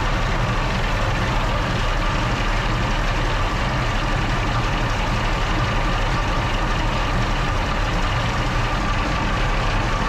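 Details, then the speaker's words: Original WWII Maybach HL230 V12 Panther tank engine during a tune-up, before adjustment; heavy, fast, even deep drone at idle with no misses; high idle speed, fixed by turning the main accelerator linkage one turn. "adjusted the main Yeah. accelerator linkage one turn to bring the idle speed down."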